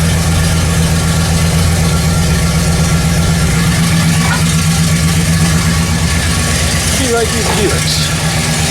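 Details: 1969 Buick GS with a freshly refreshed big block (400/430/455), after timing correction; cylinder six shows 10% leak-down: steady, even V8 idle around 800 rpm with a smooth, regular lope and no hunting or misses; it's running right.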